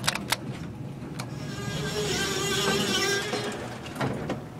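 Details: School elevator, 125 ft/min, with a two-speed door: a wavering creak and squeal with sharp clicks while the door runs, from a very creaky door operator.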